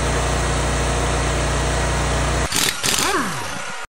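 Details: 2019 Ferris IS3200z zero-turn mower, 37 hp Briggs & Stratton EFI with Delphi high-pressure fuel pump, ~1500 hours, previously losing power and backfiring at high idle; it holds a smooth even beat without misses or pops, then shuts off: running normally.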